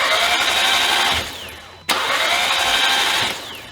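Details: 2013 Audi TT with a 2015 TTS engine swapped in, cranked with spark plugs and coil packs out to prime oil: fast, light, even cranking with no compression pulses, normal for this priming.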